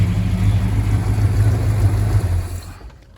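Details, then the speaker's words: 1968 Dodge Charger V8 barn find, several years stored, after draining old fuel and adding Seafoam and fresh non-ethanol gas, fluids checked, decent oil pressure: steady even low idle rumble without knocks or misses before shutdown; normal idle. "so fires up pretty good um after getting all that old fuel out so pretty happy with with that"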